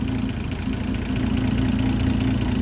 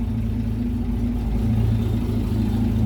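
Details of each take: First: Land Rover Series 3 109 2.6 during a tune-up, warming up with revs below the 700 rpm timing speed: a slow, even idle with a steady low thrum and no misses or knocks. It sounds well timed, though the dwell meter reading seems off. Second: Land Rover Series 3 109 2.6, warm engine at idle: steady, deep, slow rumble with even beat; revs a bit low while oil pressure builds up well; carburettor needs choke and fine-tuning; low idle speed.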